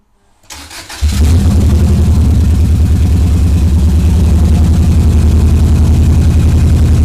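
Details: Subaru EJ22T with DOHC head swap and RobTune EJ20G ECU, first start: lumpy uneven idle, about three and a half pulses a second, going progressively lean; massive vacuum leak suspected, hissing heard on right side; rough running, missing on one cylinder.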